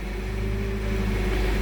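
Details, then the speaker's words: Toyota 7FGU32 forklift with erratic idle, resistance added to RPM signal circuit, dropping voltage peaks from about 37 to 25 volts; smooth, constant low drone with steady pitch, no hunting or surging: normal idle. "All right, and my idle is nice and smooth,"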